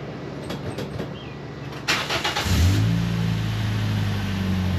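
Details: 2007 Toyota Yaris exhaust with broken welds, loose bolts and holes, patched: engine starts and idles with a faint puffing tick over low drone, heard outside more than inside; exhaust still leaking.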